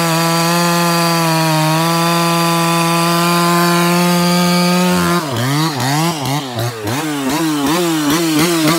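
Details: Ported 154 chainsaw at high rpm, clean scream then rapid repeated surges and drops, like a limited coil; cause was a bare spot on the kill wire intermittently shorting the ignition.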